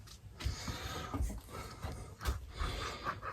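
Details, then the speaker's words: Homelite Super XL Auto chainsaw, crankshaft spun by hand with the clutch off: loud, gritty, uneven rumble in surges though the bearing has no play; pitted, rough crankshaft main bearing to be replaced. "it makes a racket. Can you hear it? Super loud. When it's running, it really makes a noise."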